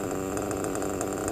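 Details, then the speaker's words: Novarossi Roma .25 nitro engine, retuned from two-stage to single-stage idle, only 1/8 turn on the high-end needle, cooler day: high, buzzy, steady run with no misfires or bogging; clean even note. "it sounds pretty good to me and only thing I had to do was 1/8 of a turn on when a high-end needle"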